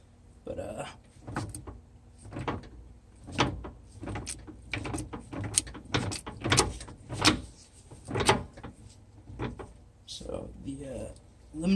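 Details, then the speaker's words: Ford 8.8 TracLock limited-slip in a 1998 Jeep Cherokee XJ, diff worked by hand: uneven metallic clunks. Owner thinks the clutch pack and S-spring hitting bottom make noise, but suspects worn original spider gears; clicks and groans on slow turns. "here's the actual clutch pack yours do move they make a little bit of the noise but a lot of the noise also looks like the S spring hitting the bottom"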